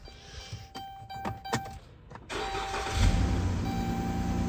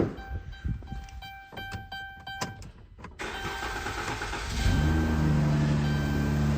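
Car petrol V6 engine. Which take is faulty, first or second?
first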